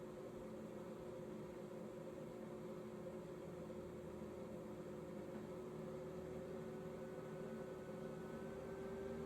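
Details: 2019 Thor ACE 30.2 RV microwave after repairing the ATS box, whose loose screws had burned and melted connections and cut 110 V power: steady low hum, faint fan whir, even tone; converter running; normal.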